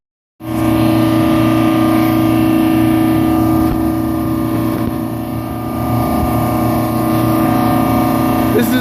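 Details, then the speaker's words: Old rooftop unit RTU 13 on a mall roof, 70° inside the mall, running before service: a loud, even hum with steady tones and no knocks, rattles or squeals; the unit and compressors are running normally. "example of a unit running free it's 70° down inside the mall and right here the compressors are running number 13"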